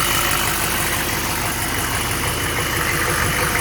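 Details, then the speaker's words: 1996 6.5L Detroit diesel after replacing water pump (reverse flow) and harmonic balancer, run briefly without fan for leak check: steady usual idle clatter, no knocks or squeals, balancer running smooth; sounds healthy. "So, you know, man, guys, look how smooth that that harmonic bouncer is, man. It ain't even moving, bud."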